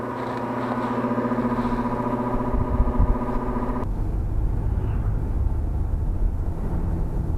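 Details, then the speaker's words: Carrier heat pump outdoor fan: loud droning hum with a strong steady tone that suddenly drops away, leaving a rough rumble; fan motor resonating badly, cause suspected. "if you could hear it it had a terrible resonating sound about it just a kind of a i don't know i've had several motors do that over the past couple of years"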